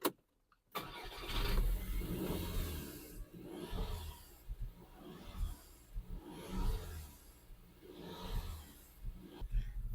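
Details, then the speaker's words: BMW Group petrol engine starts and idles roughly with uneven lumpy surges; random misfire P0300 and air intake leak P2279. "we fixed the air leak problem and after that random misfire and cylinder number two and three"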